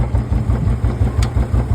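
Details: Royal Enfield UCE Bullet single after cam setting only (zero-to-zero, cleaned, no new parts) to cure a loud humming/droning engine noise: even, steady idle thump about four beats a second, no drone or knock; the noise is gone.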